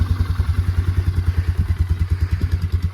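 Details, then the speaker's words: Polaris Sportsman 400 ATV after crash repairs, started on the first pull without choke: the single cylinder gives a steady, even low thumping, and the idle holds smooth and regular; healthy. "She started right up. actually that was chokeless, too."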